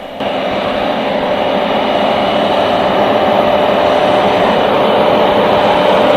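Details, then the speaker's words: Class 74 no. 742 at Eastleigh, 1974, on diesel power: loud steady roar with sustained whistle from Paxman engine's turbocharger over the diesel beat, even. Normal turbocharger running. "On diesel, the overriding sound was the turbocharger on the Paxman engine, whereas on electric supply, the booster was mostly all you could hear."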